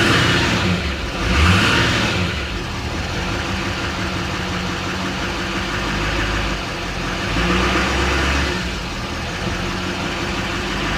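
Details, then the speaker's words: Duramax diesel 4WD pickup with front-end damage at an auction lot, listed as start but not drive, no check lights, stock exhaust: two revs with a smooth rising turbo whoosh that settles back; normal turbo spool. "see what she sounds like yeah it's got a regular exhaust on it too you can hear that turbo spool up though"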